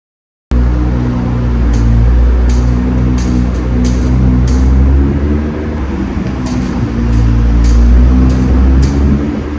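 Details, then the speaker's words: 2017 Nissan GT-R cornering sharply: light metallic clicks roughly every second over a deep engine rumble, caused by rust between hub and brake rotor; fixed by separating, wire-brushing and anti-seizing the hub-rotor contact. "But recently, around sharp turns, I heard a small clicking noise, a metallic clicking."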